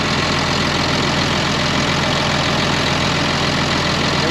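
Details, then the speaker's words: 2005 Ram 2500 diesel after the FASS lift pump and fuel line replacement, now pulling fuel from the tank instead of dying as before: an even idle clatter with no stumbling or fading. A smooth, normal idle. "sounds good running pretty even I like it"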